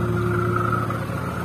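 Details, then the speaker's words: First-generation Honda Brio at idle with AC switched on: a steady whirring drone with a rough, grating edge from the AC compressor, gone when AC is off; worn compressor pulley bearing. "Ketika nyala AC-nya kasar. Jadi seperti itu. Ketika kompresor AC dia berputar, dia kasarnya. Dia kasar seperti itu. Kasarnya ada di kompresor."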